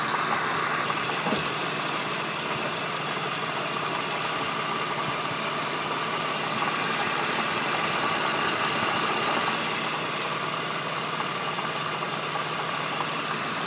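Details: BMW E46 at idle: fast loose metallic rattle about three beats a second over the hiss, confirmed as a defective water pump; replaced with a glass-fiber-reinforced original BMW pump; water pump bearing noise.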